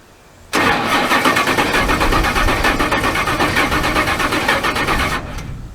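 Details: Long-retired bog truck with dead batteries and old fuel, cranked fast and evenly with the spark plugs out and no firing, as the starter pushes liquid out of a hydrolocked cylinder.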